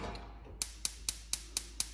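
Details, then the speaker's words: Gas cooktop burner: sharp, even spark-igniter clicks about four per second while the burner waits to light, which is normal igniter clicking. "like that and the burner should light once that burner lights take it off so you don't hear the igniter clicking anymore and you're good to go"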